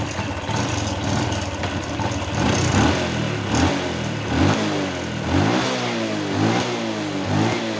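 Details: Honda Wave 110i motorcycle that had stumbled, stalled and started hard, after repair: steady idle with quick throttle blips rising and falling cleanly without stumbling. Afterwards it starts first try without throttle.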